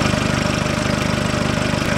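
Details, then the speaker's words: Hyundai Porter 1 2006, 2.5 turbodiesel, 170,000 km: a steady idle with a pulsing growl like a blown muffler, rising slightly with throttle. Intake air leaks at the air filter housing, which has a lost rubber valve and stripped threads; the fix was replacing the housing. "машина начала рычать как будто пробила глушитель А сейчас заведу сниму скотч и будет слышно Как изменится звук работы"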